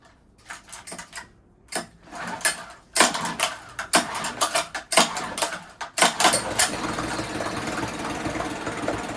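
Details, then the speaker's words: 1980s Honda BL100 four-stroke outboard rescued from trash, fuel lines replaced, first run: stumbling catches, dying, then restart into an uneven hunting run; surging and cutting out, carb cleaning hoped to fix it. "You saw that the water pump was working fine back there. But you also heard it cut out and it's I tried to start it again and it's surging. So, I'm hoping it's just going to need to be a carb clean."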